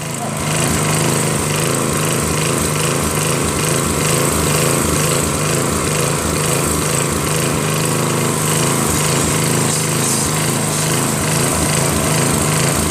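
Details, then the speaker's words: Northern Hydraulics pressure washer, Briggs 3.5 hp engine with vacuum fuel reservoir, unused 8 years; original gun, hose, wand and tip, rusted tip unclogged; single-cylinder engine buzzes steadily under pump load, no surging; runs normally, pressure weak, pump suspected. "see now stuff comes out I mean the pressure sucks but it's only three horsepower now it works"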